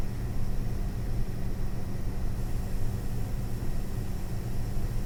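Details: ASUS Dual GeForce RTX 4060 EVO graphics card: steady low whir with a faint hum underneath, unchanging, an abnormal fan noise from the card.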